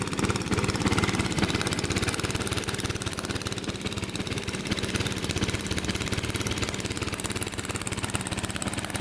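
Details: Single-cylinder lawnmower engine that sat at least five years, carburetor replaced, fresh oil and fuel: uneven stumbling idle, about three pulses a second surging and sagging; rough idle, cause unclear.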